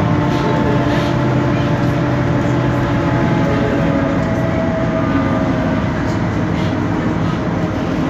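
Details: 2012 BMC Belde 285CB bus, Cummins ISBe 6.7 Euro 5 turbo diesel, 250 hp, ZF Ecomat 6-speed automatic, underway: steady tonal whine over heavy road and drivetrain rumble, holding pitch with speed; noisy rear differential.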